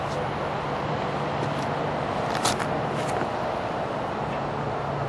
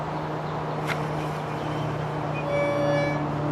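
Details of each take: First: Mooncool TK-1 e-trike (48 V, 500 W motor) wheel spinning freely with a soft, even hum after the brake rotor was sprayed with brake cleaner: no squeal, runs normally. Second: Mooncool TK-1 e-trike, front wheel lifted and spun: low hum then thin high squeal as it drags to a stop at the disc brake; temporarily fixed with brake cleaner.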